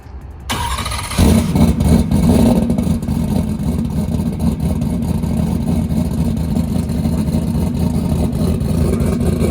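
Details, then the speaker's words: Ford Coyote engine with a 107mm turbo and a newly installed lock-up torque converter, retried after running lean with fuel added. A loud steady rumble, both dump valves open, but there is no boost whistle and the turbo isn't spooling; the cause is unconfirmed. "all right so we're going to try again uh it was a little bit lean there so I added a little bit of fuel let's see if it uh spools up a little bit better now"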